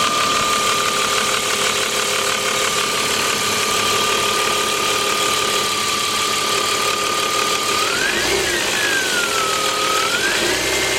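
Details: BMW 325iS idling with steady high-pitched whine rising and falling with rev blips; cause was two faulty remanufactured replacement alternators. Alternator whine.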